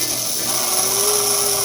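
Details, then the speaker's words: Restored Galaxie 500 slot car chassis, freshly oiled, bench-run on transformer after reassembly: bright, steady high-pitched whir, no rattle or catching, motor spins freely; normal running. "See what we get. It should be oiled and ready to go. Sounds like it screams, doesn't it?"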